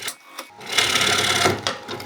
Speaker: hear that really rough cut just then what that was that side Wing hitting that other other step that I made earlier